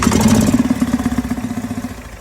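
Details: Gas Club Car DS golf cart single-cylinder with magneto coil, starting after RPM limiter wire was disconnected, which showed the RPM limiter is bad: catches and runs with even, quick thumping that settles and fades.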